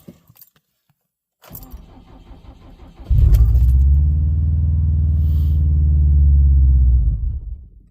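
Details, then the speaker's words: Subaru WRX STI on an E85 tune, cold start at 21° ambient: keys rattle, brief crank, the engine catches with a deep even roar for about four seconds, then dies; it fires but won't stay running, cause not confirmed. "so this one clearly just fired up and then it died"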